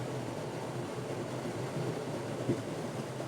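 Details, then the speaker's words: Friax wine cellar cooling system evaporator fan at full speed with the discharge nearly closed, at about 350–375 pascals: a steady, loud airy rush with a low rumble, noisy because airflow is badly restricted. "well if we close it almost completely that's 28 350 375 pascals and you can hear how noisy that is this is obviously on a full speed"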